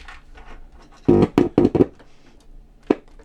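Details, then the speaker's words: 1970s Grundig RF 440 GB table-top radio, audio output tested via the rear DIN socket: hum with sound cutting in for brief bursts then dropping out, suspected flexed board with a dodgy connection; intermittent audio output from broken PCB track. "so it feels to me like the the board is flexed somehow and it's got a dodgy connection because sometimes I get audio and sometimes I don't"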